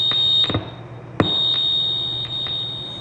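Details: 1995 Gottlieb Stargate System 3 pinball at power-on after replacing U8: the display works, but a steady high beep tone with brief clicks persists until the 5-volt pot is adjusted; the dot controller is not booting properly.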